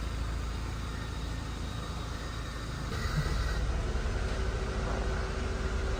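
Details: Honda Civic after ICV cleaning and relearn: low, uneven rough idle that grows louder and strained as the A/C load kicks in, RPM dropping; not fully fixed, throttle body swap tried next.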